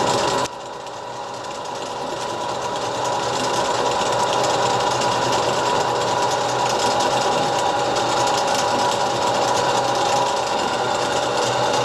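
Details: STD-120M lathe, first start after a major overhaul: a steady hum with a light, even mechanical patter as the gears and spindle run smoothly, with no knocks or grinding.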